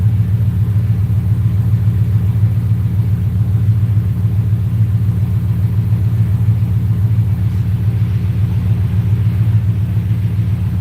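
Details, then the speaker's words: Rose with 4.6 Savage tune, warm, throttle plate reopened: deep steady even burble at 850 rpm, no misses or hunting, AFR as expected; normal warm idle. "Running at 850. Once we can at 850, that's right where it's gonna sit. So we're good on idle right now."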